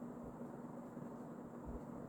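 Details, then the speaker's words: Early-mid 1980s Emerson Casablanca Designer 36" plastic ceiling fan CF-2036W, K-55 stack motor, on high with strong air movement: quiet steady low hum with soft airy rush, no ticking or wobble; running smooth, normal. "And the air movement is actually incredible for a 36-inch fan. This thing is very powerful."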